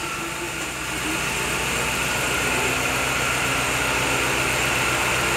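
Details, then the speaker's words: Chevrolet Agile with new coil, plug wires and spark plugs, idling after the timing belt job: even, steady idle with no stumble; the misfire has stopped. "O carro parou de falhar. O carro parou. Não falha mais, não tem fraqueza, certo?"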